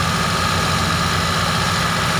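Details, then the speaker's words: T120SS injection car at an even idle with a steady high whistle. The oil pump pickup sits against the inward-dented sump pan plate and whistles as oil is sucked up; the pan is to be removed and straightened. "panci ini karena terlalu di dalam akibatnya adalah pompa oli atau corong dari ujung pompa oli itu mepet dengan plat dari panci oli ini sehingga terjadilah suara seperti ini ketika oli naik atau oli disedot"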